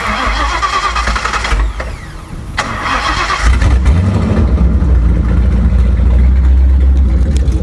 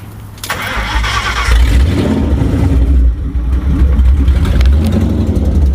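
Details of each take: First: Ford Crown Victoria 4.6 DOHC with low compression, replaced IAC, TPS, plug wires, plugs, coil packs, now running a swapped ECU: after a short crank it catches cleanly into a steady, even low idle; normal start. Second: Ford Crown Victoria 4.6 DOHC V8 with low compression, after new injectors, plugs, coil packs: fires up into an uneven, lumpy idle with irregular stumble; misfire.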